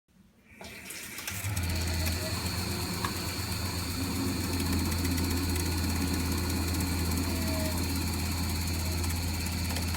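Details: Vaillant EcoTec Plus 824 combi boiler, 8 years old, water pressure good, intermittently makes a loud low motor drone easing to a quieter whirr during central heating and hot water use; failing circulation pump, fixed by pump replacement.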